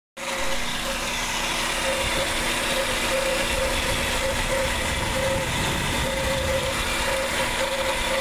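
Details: Car radiator cooling fan motor making excessive noise before repair; steady loud whir with a rough gritty rasp and faint hum that never lets up, pointing to a worn fan motor bearing; motor then removed for repair.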